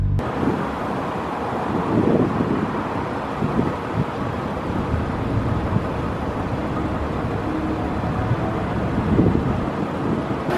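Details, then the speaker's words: Car air suspension lowered to ride height after the tank filled to about 175: steady airy hiss of bags venting for about ten seconds at an even rate, no chatter or stutter; normal lowering. "now let me go down to my ride height so we'll go ahead and click this one"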